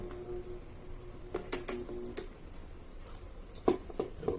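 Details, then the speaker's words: Arno Turbo Silence Force 40cm fan motor, customer complains of loud noise; shaft tip has excessive end play, possibly the shaft or spacer washer; motor hum breaks into loose clunks and rattles as it tries to spin, louder at speed. "Quando ele pega a velocidade, ele faz muito barulho."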